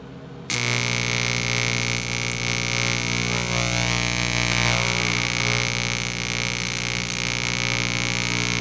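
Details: Miller Econotig in AC high-frequency mode on cleaned aluminum, electrode balled, arc held straight up: steady buzzing arc with high hiss and crackle over an even hum; it burns through or sizzles without forming a puddle, though it welds steel fine in DC-.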